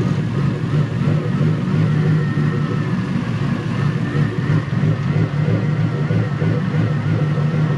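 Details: Toyota 1UZ-FE VVTi V8 swapped into a 4x4 offroad buggy at shakedown: lumpy, pulsing beat of about three surges a second over the drone, running unevenly; owner suspects airflow meter position, cause unconfirmed.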